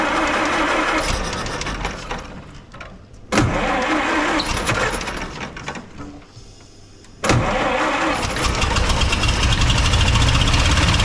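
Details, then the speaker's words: 1929 Austin Heavy 12, 95-year-old engine after adjustments: two short cranking bursts, then catches and settles into an even idle with no misfiring; vacuum fuel pump drawing from tank; cracked head weeping coolant. "oh and we reckon it's it's the vacuum pump for the fuel and we reckon it's drawing fuel from the tank and it's not misfiring which is an absolutely cracking result"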